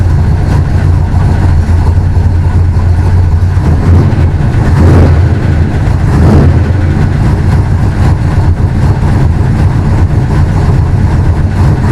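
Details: Willys DJ5 with new 4-into-1 exhaust with collector and over-axle pipes, in an enclosure: steady, deep, even exhaust note with no knocks or misses, echoing off close walls; engine runs smoothly.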